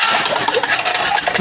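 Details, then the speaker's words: Pull starter of a 1971 Johnson 20 hp outboard pulled without spark plugs: rough scraping, clattering metallic rattle through the whole pull; broken recoil spring previously bodged by twisting the end and reinserting it. "I think the the spring had been broken and they they fixed it used the broken spring just Twisted the end stuck it back in there"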